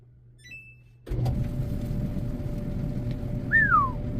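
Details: Samsung DV50K8600 dryer running after its idler pulley was replaced to cure a loud noise: after a moment of quiet it settles into a low, even rumble with a faint steady hum and no squeal or grinding, which is normal running.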